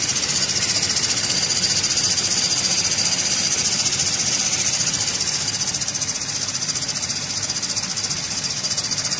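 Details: Running engine accessory belt drive: loud hissy high whistle and squeal pulsing about four times a second; belt tensioner roller bearing suspected, owner plans to replace it; uploaded audio may be distorted.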